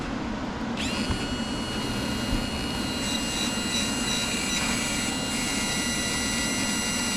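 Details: Yamaha F-115 outboard Showa tilt and trim unit, rebuilt with new seals and a replacement pump, filled with ATF and bench-tested with the power leads connected; smooth, steady electric motor whine with an even hydraulic hum, the pump running healthy.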